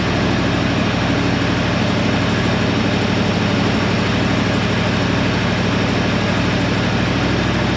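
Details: 1968 Suburban idling after thermostat housing replacement and coolant refill, warming to operating temperature; steady, even low idle with a smooth unchanging beat, no knocks or misses. Running normally.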